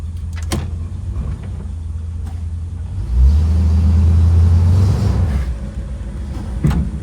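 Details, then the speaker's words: 1963 Buick Electra 225 reversing with a low engine rumble, then a single sharp clunk on the first stop after changing direction; not a braking issue, judged to be a worn right-front ball joint rattling. "Clunk. It's that right front corner. Not a braking issue. It's right front corner. Oh, yeah. That's definitely that ball joint rattling around on the right front."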